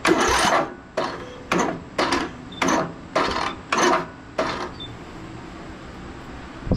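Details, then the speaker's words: Briggs and Stratton engine on a Craftsman DLT3000 riding mower that won't start, cranked with a jumper pack and brake set: starter strains through about seven slow, labored surges then stalls, barely turning over; engine can't be turned by hand. "we got one rotation and then it oh my Lord you can't turn that over by hand"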